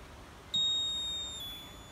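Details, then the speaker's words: Land Rover Freelander 1 with an added low-coolant float switch buzzer using a capacitor circuit against false alarms: a single high-pitched beep of about a second at ignition on, signalling low coolant level, working as intended. "the alarm now only comes on when the water level is low and it only comes on for a few seconds when you first turn on the car"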